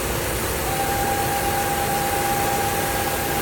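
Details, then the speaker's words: Fiat Argo engine running: thin steady constant-pitch whistle in the engine area that stops when a cap is opened; PCV valve diaphragm cover found broken, vacuum leak. "Ó, barulho cabuloso no PT que o cliente trouxe aqui para diagnóstico. Vai vendo. É todos, tá? Barulho localizado aqui na região do motor. A gente barulho muito forte."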